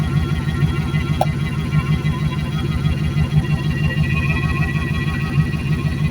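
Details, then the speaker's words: Junked Dodge Dakota parts truck, first start after sitting, idling to seat rings before any revving: steady deep even rumble, no knocks or misses; normal warm-up idle, oil pressure a little low but normal. "The longer it idles, the better it runs. I want to just let it idle so that way it can uh uh that way it can uh seat those rings and stuff like that before I rev it or anything."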